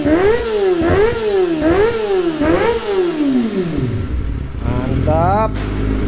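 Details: Kawasaki ZX25R, checked over before touring, gives four crisp revs that climb and drop cleanly, then settles smoothly to idle with no misses or rattles; healthy engine.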